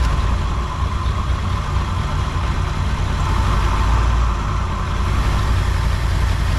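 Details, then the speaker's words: 1959 Ford Thunderbird 352 V8, first run after 33 years parked, smoking and leaking transmission fluid: a deep, uneven idle with an irregular lope and occasional skipped beat, missing slightly; owner wants to rebuild the carburetor, possibly a Carter. "Maybe it's missing a little. Now they know it runs. So yeah, so it's running."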